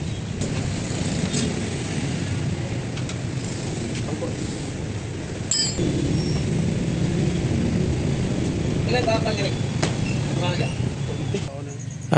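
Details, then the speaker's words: Kawasaki Bajaj single-cylinder motorcycle after engine overhaul: steady low rumble with an even beat, earlier noise gone, no knocking; faint exhaust hiss from a small hole in the rusted exhaust elbow, needing welding; normal running. "At ayan, wala na yung ingay mga dul. Maayos na yung andar ng kanyang motor ni sir."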